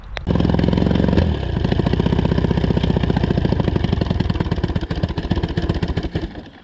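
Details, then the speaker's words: Johnson 20hp outboard: it buzzes steadily, then surges unevenly, sputters and dies; it starts and runs only with the choke out, so a fuel problem is suspected. It also ran very hot with no water seen, so the water pump is suspect. "it would start to sputter and then die but it runs with the choke out you can only start it with the choke out so I think it's a fuel problem"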